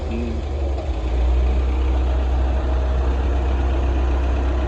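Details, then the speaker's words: Used forklift first run after a snapped timing belt was replaced; a steady, even low engine rumble at idle with no knocks, misses or squeals; sounds really good and healthy. "Oh yeah. Dang, sounds good. Sounds really good."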